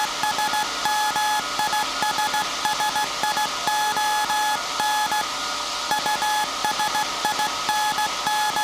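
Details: SAQ Grimeton 1924 Alexanderson alternator, 17.2 kHz VLF CW centennial transmission, punched-tape transmitter soon handing over to manual telegrapher keying; clean mid-pitched beeps in steady dot-dash rhythm over faint hiss; normal Morse keying.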